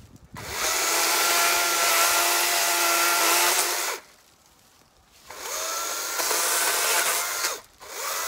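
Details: Battery electric chainsaw cutting a dry, long-fallen dead limb: two cuts with a high steady whine under load, chewing slowly through the wood because the chain is dull.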